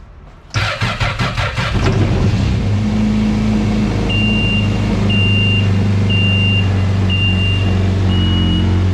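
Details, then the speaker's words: 2018 Yamaha VXR jet ski after engine swap replacing rod-knocking motor: quick churning crank, catches within a second, smooth even idle with steady low hum; normal start and idle. "all right there you have it yamaha vxr 2018"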